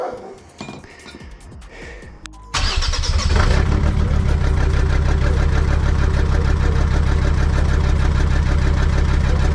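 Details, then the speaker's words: Jeep WJ 2.7 CRD diesel with the exhaust silencer cut out during turbo removal work, first start. It cranks briefly, catches and settles into a loud, deep, steady unmuffled rumble. Smoke seems a bit less; owner wonders whether the silencer or the turbo was the problem and thinks the turbo needs doing anyway. "what do you guys think that sounds like I think it sounds pretty freaking mean"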